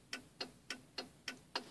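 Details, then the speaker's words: 1995 Cadillac Fleetwood turn signal: crisp, evenly spaced clicks about three and a half per second, steady; flasher cycling at the normal slow rate, after earlier fast blinking. "this is how it's supposed to sound like I'm supposed to blink slowly like that"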